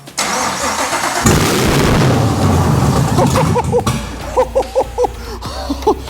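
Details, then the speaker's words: BMW 635CSi E24 with a 6.2L Gen V LT1 swap, first start, after pressing the clutch pedal in: it cranks, catches with a loud open-pipe roar for a couple of seconds, then dies. Starts but won't stay running. "holy that was it was the clutch pedal it started but it didn't stay running"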